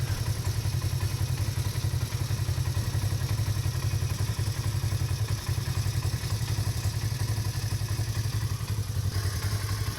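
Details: 2015 Polaris RZR 1000 after replacing the MAP sensor connector to cure stalling and no-idle: steady low thumping idle at an even beat, no stumbling or dropouts; idles smoothly and holds.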